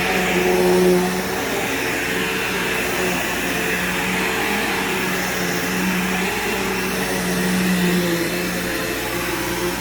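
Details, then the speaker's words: Bagged vacuum picking up scent beads: steady even motor hum with constant airflow rush, no rattles or pitch wander; works perfectly fine with a good brush roll; normal running. "so this thing definitely works perfectly fine it has a nice good brush roll in it"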